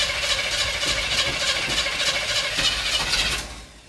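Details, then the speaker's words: 1977 Chevy C10 Cheyenne, 350 four-barrel Quadrajet, cold with no choke hooked up: rough, raspy idle with irregular popping before dying down. Rough running, popping possibly from the unreplaced carburetor base gasket. "so that's something I need to change but we only had first gear in Reverse so and it wasn't running very good cuz it was LE leak in air leak in vacuum"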